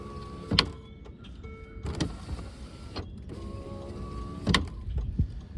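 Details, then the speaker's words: Land Rover Discovery 2 passenger door window: the motor whirs with uneven grinding and clicks as the glass rises. The previously replaced window regulator was found broken. Broken window regulator. "so the passenger door say this has been replaced before but obviously this is broken so that was our problem"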